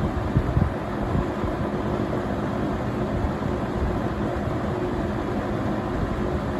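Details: Vintage 1970 or 1971 Windsor (Lakewood P-21) box fan running on low speed: steady hollow, bassy whoosh with a deep even hum, no knocks or rattles, moving a high volume of air; normal running.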